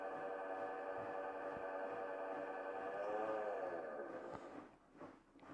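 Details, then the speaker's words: Bosch washing machine that leaves clothes wet after the spin cycle, heard on spin: droning, ringing hum that wavers as the drum slows; the drum turns freely by hand but makes the same sound, pointing to a worn motor bearing. "Yeah, that's not a normal sound for a washing machine to be making when it's spinning."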